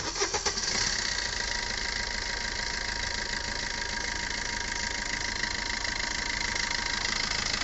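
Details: Maruti Suzuki Ertiga with a no-start and no scanner fault codes, battery drained from repeated cranking: after a faulty small relay was found, the starter spins briefly, the engine catches within a second and idles steadily; normal start.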